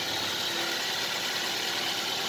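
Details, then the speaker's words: Used car engine check, started and idling, heard through the open window: even, soft hum with no knocks, ticks or misses; regular, smooth tone judged normal, no problem. "bisa dipastikan Enggak ada masalah jenis ini Karena normal gitu"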